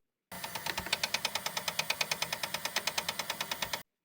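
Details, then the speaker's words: Bambu Lab P1S 3D printer extruder clicking: sharp, evenly spaced clicks, several per second; nozzle clog, extruder blockage and yellow gear were checked, and a worn extruder drive gear is the finding. "This sound can mean a whole range of issues. Gears, extruder blockage, or just a plain old nozzle clog."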